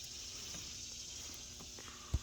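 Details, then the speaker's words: Heat pump condenser running after tracing the low-voltage short that blew the transformer and fitting a reversing valve coil: steady low hum under even high hiss, no knocks or rattles; runs smoothly. "that's beautiful that's what we want to hear awesome"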